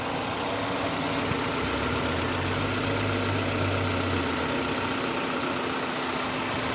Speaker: CR-V, 2 литра бензин, пробег 154 405 километров, 98 год, коробка пятиступенчатая, двигатель работает ровно.